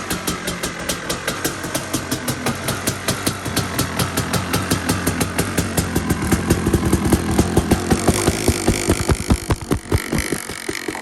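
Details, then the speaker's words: KTM 250 two-stroke enduro bike, cold start on choke after sitting just over 6 weeks, second kick; crisp popping idle, slightly uneven at first then settling into steady firing; healthy start. "started up second kick after 6 weeks, which is nice."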